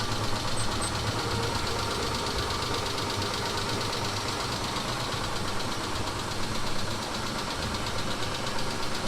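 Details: Fast, even ticking knock over a steady cold idle on a 2000 Mitsubishi Montero Sport just after cold start; owner says it lasts 3-4 minutes, disappears when warm, doesn't seem like hydraulic lifters, cause unknown.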